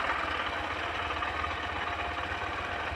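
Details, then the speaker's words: Honda SP125 BS6 motorcycle idling evenly after self-start following battery replacement, which cured its self-start problem; small single ticks over steadily with no misses, knocks or rattles; normal idle. "দেখুন battery পরিবর্তনের পর self start দিচ্ছি কোন সমস্যা হয় না সুন্দরভাবে"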